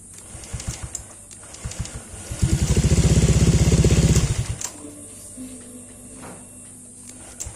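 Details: Honda Vario 125 LED New scooter (no kickstarter) after replacing the failed CKP crankshaft sensor that caused no-start with only clicking and MIL on: starter churns about two seconds, catches into a quiet, even idle, restarts cleanly; normal start and idle.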